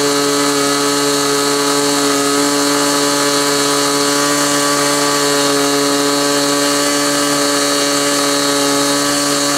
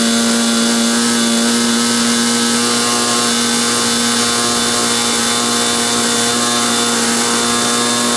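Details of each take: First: Glow engine on SIG Kadet LT-40 during break-in, needle at about one and a third turns: steady high-pitched buzz at one speed, no surging, sag or misfire; running smoothly, possibly a little lean at idle. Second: Glow engine on SIG Kadet LT-40 during first break-in run on restraint: steady high buzz at one pitch with a rough, fuzzy edge and no clean scream; mixture obviously too rich, restarted.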